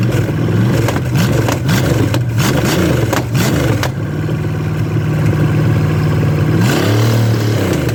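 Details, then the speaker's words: Chevy small block 305 V8 bought for $50, fitted with carb and HEI distributor after points distributor wouldn't time, run with no coolant: catches, revs up and down cleanly, settles to even idle, no knocks; normal running. "i didn't want to run it too much longer because there's no water in it it sounds good baby"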